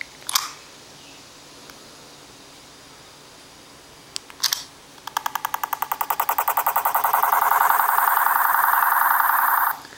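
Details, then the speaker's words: iPhone 4 making a weird noise on locking the screen. Two button clicks, then fast electronic pulsing that speeds up and swells into a warbling high tone. The fault began suddenly. "I wanted to show you something that's kind of weird as iphone 4 and when I locked the phone it makes this crazy noise check it out I'll do it again"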